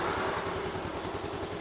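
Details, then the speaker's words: Yamaha Mio M3 125 scooter after fixing the rough-sound complaint (traced to the stationary/idle part, replaced; manifold tightened): even, steady putter at idle with no knocks, now smooth. "udah halus kasih masuk halus ya terasanya"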